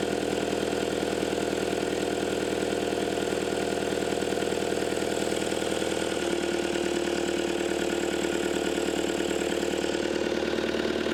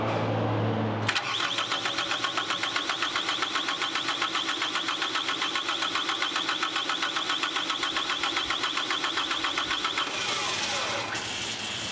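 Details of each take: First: Caterpillar 259D skid steer after engine install and wiring fix (communication plug issue resolved), first start: steady, even diesel idle with a regular beat about two and a half per second and constant whine; runs smooth and healthy. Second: Caterpillar 259D skid steer after engine install, first cranking attempt: high steady squeal over starter chug of about four turns a second; squealing while cranking, cause not pinned down.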